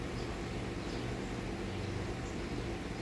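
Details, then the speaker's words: Vintage Westinghouse 20-inch reversible box fan coasting down after being switched off: a soft, even low whoosh with a long spin-down and no rubbing, ticking or grinding; the bearings are very good. "It's got really good bearings. So whoever had this fan obviously took really good care of it, despite painting it."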